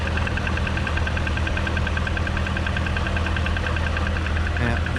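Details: Supercharged Corvette Z51, idling, heard from outside the car: light, quick ticking about two or three per second from the front of the engine; owner suspects the tensioner, AFM lifter failure also considered, not yet diagnosed.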